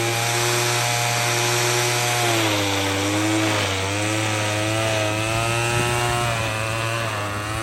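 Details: Troy-Bilt TB22EC two-stroke string trimmer, after replacing an old primer bulb to fix a no-start from sitting: high buzz at steady revs, dipping slightly under cutting load and recovering cleanly.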